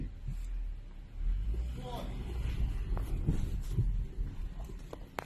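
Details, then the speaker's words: Toyota Crown/Reiz-series chassis after tightening loose (possibly reversed) bolt and reinforcing underbody, road test over potholes: steady rumble, soft tyre thumps, no metallic clunk, also none when steering; chassis knock fixed. "在过坑路已经没有听不到今天早上那个异响了，现在带回来试一下，带回来也没有了，打方向也没有，完美解决问题。"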